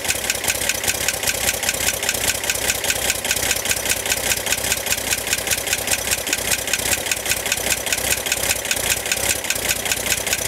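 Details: 1965 Corvair air-cooled engine at idle: steady sharp tick about 2.5 per second from top of engine near fan, began 2-3 weeks ago and getting louder; tightening fan belt only reduced it slightly, cause unconfirmed.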